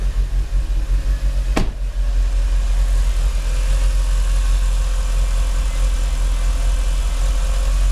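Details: Mitsubishi Lancer Evo IX MR with flashed ECU: low, lumpy, shaky idle for months, hunting 500-800 rpm and dipping near 400 rpm after high revs. Runs fine otherwise; new spark plugs didn't fix it, no vacuum leaks found. Cause unknown.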